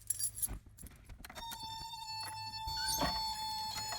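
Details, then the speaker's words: 1987 Toyota 4x4 pickup with 22RE engine and Engnbldr Street RV head, reassembled for its first start: key jingles, then a steady high thin buzz at key-on before cranking; the normal Toyota key-on buzz. "Ahhh that Toyota buzz!"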